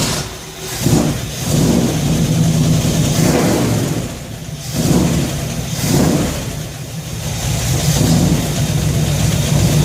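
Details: Shop truck carbureted V8, after a fuel system overhaul (fuel pump, regulator, filters, intake gasket, carb spacer; fuel pressure set to 3.5 psi), idles then revs and settles cleanly with no stumbles; no gas or water leaks, and it runs pretty good.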